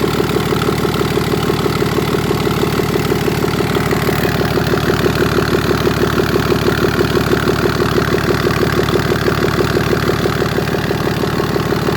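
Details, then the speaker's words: 2011 BMW X5 xDrive35d E70 with an M57N2 diesel at 130k miles, after lower timing chain repair, run with the intake manifold off and the EGR unhooked: a steady, even diesel idle clatter, a bit loud, which is normal without the EGR hooked up. "I did it just to show the owner that it's working as it should be. Yeah, it's a little bit loud, but it's normal without the EGR hooked up."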